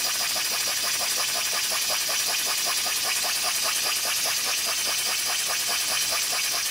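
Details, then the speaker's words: Homemade DIY live steam boiler and engine running, pressure relief valve set to about 10 psi: fast chuffing hiss, slightly uneven, with a faint rattle. Irregular running; owner suspects the valve isn't seated, possibly a poorly fitting slide valve. "that noise leads me to believe that the valve isn't seated properly i don't know why but it's just a hunch that the valve isn't seated properly"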